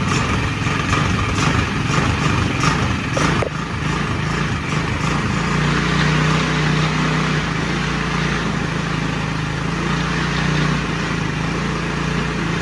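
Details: Yerf Dog Spider Box go-kart with GY6 engine, sitting for years, after intake fix, battery charge and refuel: steady buzzy single-cylinder idle, even beat, no tapping or popping; running normally.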